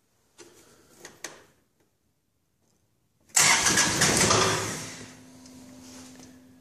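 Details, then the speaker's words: 2014 John Deere 2025 tractor, diesel, just above freezing, glow plugs not used: a few weak clicks, a pause, then a loud ragged catch settling into an unsteady low idle with heavy smoke; very hard cold starting, same as the day before. "I just started this thing yesterday, and it started like crap. Let's see what happens today."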